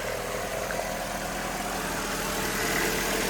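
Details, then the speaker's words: 2002 Hyundai Accent idling evenly with a light, quick tick about four times a second; sounds like valve tap but more like an exhaust manifold leak, suspected, not confirmed. "Almost sounds like a valve tap, but it's more or less sounds like a manifold leak."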